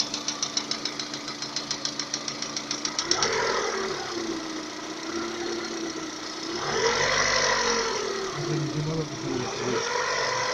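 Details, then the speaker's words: Lada Kalina 11174 after bent valves from a failed timing-belt tensioner, full valve/head rebuild and new no-interference pistons with rings at 65,000 km: sharp metallic tapping about 3–4 times a second, lost as revs rise, appears once warm to about 90°, idle and under load, fourth cylinder suspected; cause unconfirmed. "Вот до 90 доходит, появляются вот такие странные стуки. На холостых и под нагрузку."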